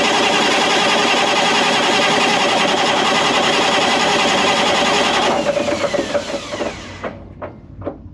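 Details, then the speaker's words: Caterpillar C15 700 hp diesel generator, about 30 minutes factory run time, injection disabled for oil-pressure pre-check: steady even starter churn about 3.5 beats per second with no firing, then winds down; healthy crank. "I've got injection disabled. It's going to be cranking and I just want to see it building oil pressure. probably somewhere in the teens or 20s."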